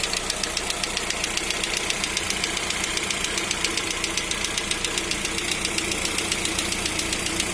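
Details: Lada Vesta with 575 km on a new engine still in break-in: crisp, even ticking knock at a steady quick rate over a smooth idle, origin unclear; dealer says it's normal during break-in and advises driving to 2000 km.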